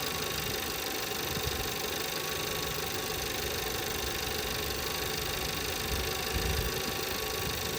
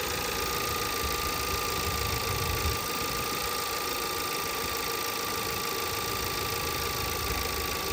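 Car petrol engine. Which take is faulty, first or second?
second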